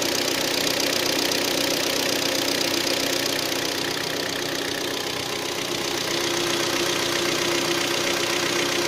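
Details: Hyundai ix35 G4KD engine with 66,000 km, recorded after 12 hours standing outdoors: a sharp, fairly even knock of about four beats a second over the idle. The cause is scoring in cylinders 2, 3 and 4.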